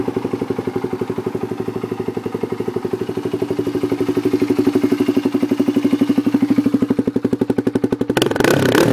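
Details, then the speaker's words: 2004 Polaris Predator 500 at idle: even single-cylinder thump at about four beats a second, steady and clean with no knocks or misses; sounds healthy. "that's how it sounds sounds pretty good"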